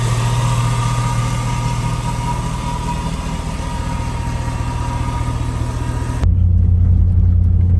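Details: 2006 Chevy Tahoe 5.3 LS warming up after its stalling fault was fixed. Deep, smooth idle holding a steady low hum with no dips or stumbles, then dropping to a quieter rumble: normal idle.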